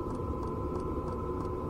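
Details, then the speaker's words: Domestic "Grasshopper" camper trailer heater at 50% power, heard from outside: low steady burner roar under constant hum with faint light ticks about three a second; normal combustion. "сейчас отопитель работает на 50 процентах мощности снаружи Понятно слышно в основном звук горения пламени"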